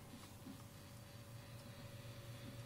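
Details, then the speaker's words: Fender Champ valve amp with a new 12AX7 preamp valve, at full volume with nothing plugged in: only a quiet, steady low mains hum, and the earlier crackling frying noise is gone. "a bit mains hum with nothing plugged in. And no more egg frying."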